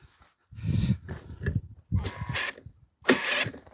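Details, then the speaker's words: Stuart generator engine, no fuel system rigged or water fitted, testing whether it cranks fast enough for spark: separate cranking bursts with a few ragged pops, trying to fire but never catching. "She was trying. Girl trying. Stuart is trying to fire."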